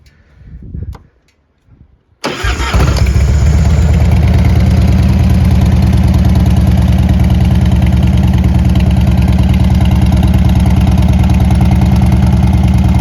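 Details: 1998 Harley-Davidson Heritage Softail Classic FLSTC, 1340cc V-twin, 34,300 miles: the starter catches and it settles into a steady, even loping idle with no knocks or rattles; starts well and the motor sounds good.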